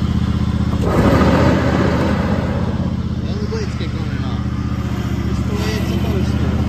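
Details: Toro TimeCutter 5000 zero-turn mower after maintenance (parking brake adjusted, deck refitted), test-run mulching leaves: steady, even engine drone with blades spinning, no knocks or surging; running properly under load.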